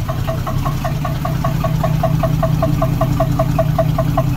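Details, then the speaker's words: 1976 AMC Gremlin, revived after 36 years in storage, idling just after startup, hoses starting to warm: steady metallic knock two or three a second over a low rumble; owner unsure whether it is engine knock. "don't know what that noise is. It sounds like literally metal hitting metal. Like a knock, but it doesn't sound like an engine knock to me. Maybe that is an engine knock."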